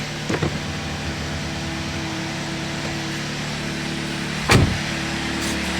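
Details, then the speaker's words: Chevy Malibu after repair for P0016/P0017 cam timing codes: smooth even idle, low steady hum, no ticking or chain rattle, only brief body noises; completely changed, absolutely quiet, healthy idle. "listen to this it's not even the same car anymore absolutely quiet i love it"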